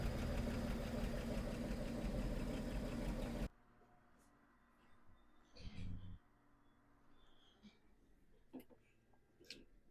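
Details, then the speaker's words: Slant Six in a Plymouth Duster, still cold, after fixing a bent carburetor float and adjusting choke, timing not yet set: steady, even idle with no misses, ticks or apparent vacuum leaks; normal idle. "but to the ear this thing sounds like it's timed pretty well um it just purrs it seems to run really really nice idle's nice"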